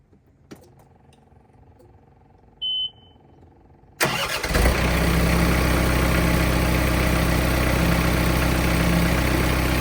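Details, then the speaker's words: John Deere 4044M tractor diesel started after an oil change with 5.4 quarts: short warning beep, cranks, catches at once and settles into a steady, even idle clatter; normal diesel idle. "So let's crank it up, let it run for a little bit, and then we'll check the oil level again."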